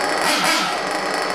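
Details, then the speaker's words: Ported Trinity Extech .24 nitro truggy motor running its first tanks at idle for break-in, after a slight touch to the low-speed needle: a fast, steady, clean buzzing idle. It is not loading up or stumbling. "listen to that thing idle and I'm going to tell you all I did was just barely touch that low speed needle man and it just cranked right on up not loading up or anything"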